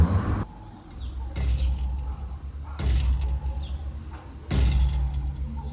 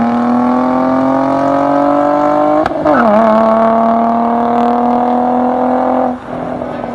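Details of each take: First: Nissan 350Z VQ35DE with a new DIY budget exhaust: three throttle blips, each followed by a loose rattly buzz as revs fall; owner suspects something loose inside the pipe. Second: Nissan 350Z VQ35DE V6 with DIY cat-delete exhaust, GoPro recording, accelerating: clean, even note climbing with revs, quick shift near three seconds, no rasp or leaks; healthy exhaust.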